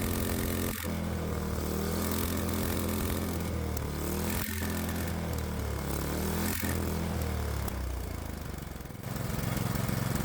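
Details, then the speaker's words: Predator 212 Hemi single on the bench with an adjustable aftermarket carburetor during idle and mixture tuning: high revs drop out with a sharp stumble every couple of seconds, then recover, with fog from the carburetor; valve float from over-revving, first mistaken for main-jet mixture. "So, I got confused and I was trying to adjust the main jet while not realizing what I'm hearing is valve flow."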